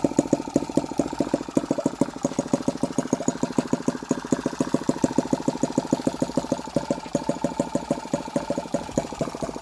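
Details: Hand-started tiny four-stroke engine with separate oil and fuel, carburettor and electronic ignition, idling with quick, even popping beats, no misses or surging; normal idle.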